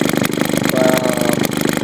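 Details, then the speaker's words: Fully restored Maytag 72 single-cylinder engine idling after a first-kick start on its first run: quick, even putter with crisp regular firing and no misses. Runs well, pops a little until set. "One kick wonder. And I mean, it runs real good. It pops a little bit, but once you get it set okay, then it usually seems to be alright."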